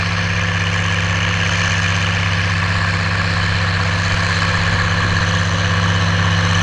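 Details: Oliver 1550 diesel tractor (about 54 hp) pulling a John Deere BW disk about six to eight inches deep, running like a top now that whatever was in the fuel system has cleared; an even drone holding speed under load with no misses, knocks or surging.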